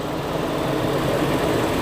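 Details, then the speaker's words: 2000 Toyota Kijang Krista 1.8 EFI just started after oil change (Top 1 HP Sport), engine still cold, gauge at bottom: steady, smooth even idle hum, no knocks, ticks or misses; normal cold idle. "suara mesinnya Syahdu banget masih dingin ya"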